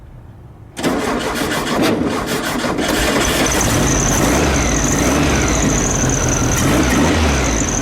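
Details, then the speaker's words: 1972 VW Beetle with freshly reinstalled Weber 34 ICT carbs, mixture not yet adjusted, not yet balanced: cranks briefly, catches and settles into a steady even run; sounds like all four cylinders firing, though throttle won't return to idle. "but sounds okay though it sounds like it's running on all four cylinders"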